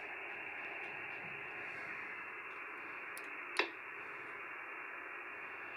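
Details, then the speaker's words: Xiegu X6100 heard on another receiver as it stops transmitting: steady receiver hiss, then one sharp click halfway through as it unkeys. Reported by multiple users, on any band and at any distance; the owner suspects a firmware unkey timing fault. "so what happens is when the transmission from the 6100 is done transmitting you could actually hear the microphone on key"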